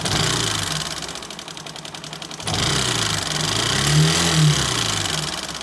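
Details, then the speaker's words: Single-cylinder motorcycle engine with loud, rapid tak-tak-tak tapping that quickens with revs, sounding tractor-like; initially tappet noise or piston slap from low oil suspected, water-like discharge from silencer; found excess rocker arm clearance. "Initial देख के मेरे को लग रहा है दो चीज़ें, एक तो इसके अंदर या तो टैपिट का साउंड हो सकता है, बट टैपिट का साउंड इतना खतरनाक नहीं होता है।"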